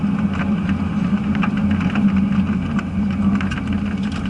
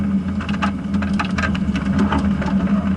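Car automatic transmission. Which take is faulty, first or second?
first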